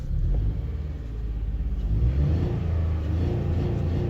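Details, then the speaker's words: 2005 Honda Odyssey with codes for EGR, variable cylinder management stuck on, evap and misfires; slow, lazy rev with deep rumble, hesitating instead of picking up, cabin shakes in reverse. Owner suspects VCM stuck on: sluggish throttle response. "rpm went up no response I've got no throttle response very slow so I don't know what's going on there a lot of shaking in the cabin in Reverse [Music] so low throttle response"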